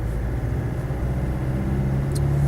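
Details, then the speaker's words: 1994/95 Land Rover Defender 90 300Tdi, warm engine with temperature gauge not above halfway: deep, even rumble building smoothly under acceleration, with no smoke, knocks or misses and good turbo punch. A faint whine under load stops off throttle. Normal acceleration. "No, engine feels very nice overall. It's looking out the back. It's not a smoky old horror under acceleration."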